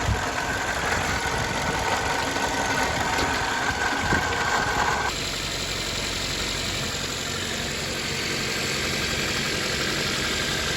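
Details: 2008 Toyota Corolla LE, 114k miles, after a repair: smooth, even idle with steady hum and no grinding or rumble from the front of the engine; grinding gone, only slight earlier squeak blamed on coolant on pulleys. Normal idle.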